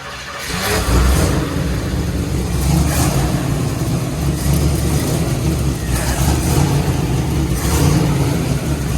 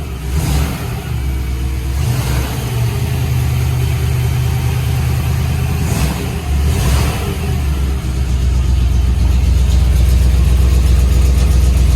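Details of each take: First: 1961 Corvette with hopped-up motor, first start in decades, fuel filter looks poor: catches after cranking, runs rough with uneven surging blips; bad old gas still in it, pressure gauge worn out. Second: 1961 Corvette or 1957 Chevy V8, unrun for decades and given fresh gas: fires up, blips the throttle a few times, then settles into a deep, lumpy, strong steady idle. Runs healthy with no oil leaks seen.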